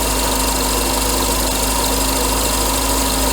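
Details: Mercedes W124 300E at idle, just restarted after replacing the alternator with a refurbished unit, warming up, later charging 14.1 V: steady idle with busy belt and fan whir, no miss or knock; runs fine.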